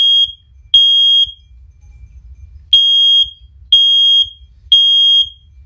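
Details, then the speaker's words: First Alert OneLink hardwired smoke alarm, one of the lower-pitched units, on test: steady high beeps near 3.3 kHz, each about half a second, roughly once a second; loud but less shrill than the higher-pitched units; normal. "now as you can tell that one like it's like it's it's loud but it's not as loud as that it's it's not it's like uh what's the word it's not as shrill as what i'm about to show you"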